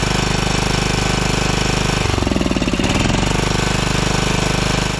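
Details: 2012 Toro TimeCutter SS5000 V-twin zero-turn, after cleaning and refitting parts. Uneven, lumpy, hollow chugging stumbles through a brief rev, still firing on one cylinder. Cause unconfirmed; owner plans to swap parts between sides and check piston movement.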